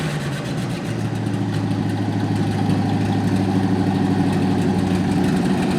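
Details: 1955 Chevy, stored 20 years as a shed find, running after wiring work while charging is checked; it catches and settles into an even idle with a steady low pulse, no ticking or knocking, while the ammeter reads near zero. Normal running.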